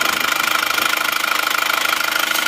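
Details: Isuzu Panther diesel, hot, idling after repair: quick, even clatter with no misses or stumbles. Dipstick smoke has almost gone and there is no pressure; the repair is finished, with only a test drive left.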